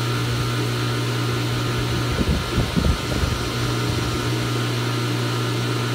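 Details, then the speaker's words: Goulds deep well pump after replacing arc-damaged Square D pressure switch contacts: steady low motor hum, even drone, running while watering the garden and cycling normally. "uh but got it back together you can hear it's running out watering in the garden so it's cycling"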